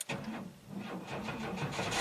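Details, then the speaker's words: 1991 GMC Jimmy 4x4 with repeatedly replaced battery and starter, reading barely above 9 volts key-on: starter turns slowly and unevenly, each compression stroke dragging; slow cranking from a weak battery, then it runs well. "okay so very sluggish crank but once it starts seems to run pretty well"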